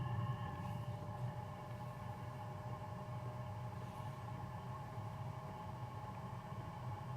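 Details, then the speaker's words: New BougeRV 5 kW diesel heater starting, no warm air yet, slight smoke: steady low even rumble from bare exhaust outlet; loud because muffler not fitted. "Wish I could have put the muffler on there so we could see what it actually would sound like with all of its parts on here."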